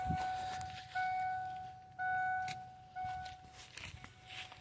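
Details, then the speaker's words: 1997 Ford Mustang GT with a borrowed good battery connected after the car wouldn't restart; its own battery suspected bad: four clear evenly spaced chime tones over quiet background; door chime working normally. "This is kind of weird. As soon as I hooked up my car's battery, the chime goes off."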